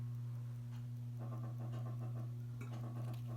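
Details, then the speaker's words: Newly installed NOMA Aspen (SMC Scandinavian) ceiling fan on high speed: steady low motor hum with faint irregular ticking; owner blames the bearings because the noise stops as soon as it is switched off. "so yeah there's the Noma Aspen SMC skating to me again can and I'm not happy that makes noise on high"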